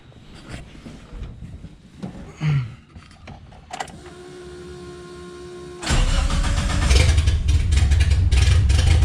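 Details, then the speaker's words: Suzuki Samurai running after seven years, no exhaust fitted yet: clatter, starter cranks, engine catches into a raw, loud low rumble climbing with revs; runs, exhaust still to do. "Yeah, she runs, and I still need to do the exhaust on it."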